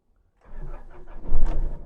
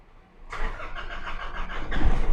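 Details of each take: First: Nissan NP300 with hard starting and no tachometer reading, after replacing the crankshaft position sensor: brief crank, engine catches within a second and revs up cleanly; starts normally, tach now reads. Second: Nissan NP300 diesel with hard starting and no tachometer reading, fault code P0335: starter churns about two seconds with uneven beat before catching; faulty crankshaft position sensor, fixed by replacing it.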